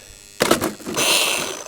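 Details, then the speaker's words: XMAXX RC truck with M2C wide hubs, after a shock rod broke through the A-arm: clunk, then the motor whirs up to a high, free-spinning whine with no drive to any wheel; owner suspects the center driveshaft or a differential. "well the motor's turning i'm gonna guess either a center drive shaft or one of the diffs it's got to be something coming off the drive because there's no drive to any wheel"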